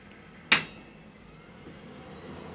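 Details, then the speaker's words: Water heating system solenoid valve: one sharp metallic click then faint hiss and quiet as the valve shuts, stopping water flow. "the shut off again so it stopped it's stopping the flow of water through there turns back on"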